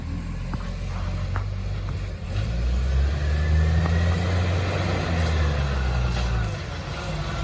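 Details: City of Joondalup green-waste garbage truck SL070: deep, loud diesel roar with heavy low rumble that swells under load, attributed to a massive exhaust leak.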